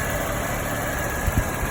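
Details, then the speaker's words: 1993/94 Rover 214, long stored and jump-started that morning: steady low idle rumble at constant speed, no misses, knocks or hunting; idles smoothly. "Well, that is actually pretty smooth for a car that's been sat for I don't know how long, and"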